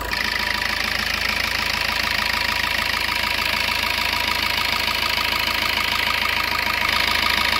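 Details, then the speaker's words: Used Suzuki Ertiga Diesel Hybrid engine at idle: an even, steady diesel clatter with no metal-on-metal knock and no limping. A limping engine would suggest a possible injector problem. Normal, smooth idle. "kita akan pastikan kalau disini tidak ada suara besi yang beradu kita dengar baik-baik kemudian kita dengarkan juga tidak terdengar seperti ada yang pincang"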